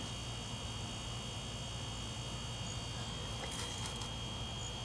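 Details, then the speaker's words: Samsung RS263TDWP inverter refrigerator, not cooling, found low on refrigerant; after piercing valve and filter drier installed, compressor runs with steady, even low hum and faint hiss, no knocks; normal compressor running, cooling resumes. "but I can hear the different sound of the compressor the way it sounds right now. So I can definitely know that's working right now."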